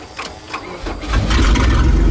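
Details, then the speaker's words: 1998 Lumina demolition derby car after a derby, with a bad fuel leak at the return hose: the starter cranks briefly, then the engine catches and settles into a steady, even idle with no knocks or misses; still runs nicely. "there it goes you guys can see you got a pretty bad gas leak raising up but as you guys can see still runs really nicely"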